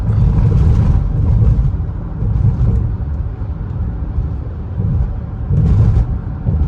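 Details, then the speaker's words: 2017 Ford Flex at 119,763 miles on a test drive for a complaint of knocking underneath and a loose feel. Low road rumble with dull clunks over bumps; suspected worn sway bar links and bushings, with possible strut noise. "so probably some uh I have some sway bar links buttons"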